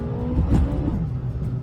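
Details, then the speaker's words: 2020 Kia Soul making a noise under hard acceleration: a whirring note climbs with the revs over the engine. It was found to be a CVT problem. "This 2020 Kia Soul came in because the customer said it had a noise during hard acceleration."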